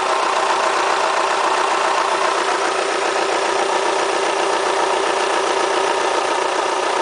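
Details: Kia Spectra petrol engine, 90,000 km mileage: steady idle with a dense, fast ticking clatter of about four per second, rattling like a diesel. The owner asks whether it is critical; the cause is not evident.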